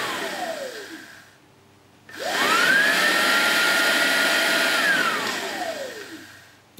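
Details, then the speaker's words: 2011 Mercedes-Benz C300 secondary air pump, bench-powered after greasing its bearing: spins up to a smooth, steady whir and winds down cleanly, no jet-like roar or grinding; normal pump operation after repair. "definitely sounds a lot better. Doesn't sound like a jet anymore."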